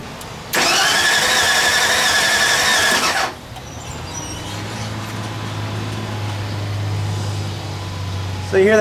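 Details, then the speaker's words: Old truck restarted after sitting for months: starter cranks, then a lumpy, uneven idle with a stumbling beat. Misfire, with one cylinder down, suspected to be a rear cylinder. "we got a cylinder that's down it's looking like it might be this one in the back here"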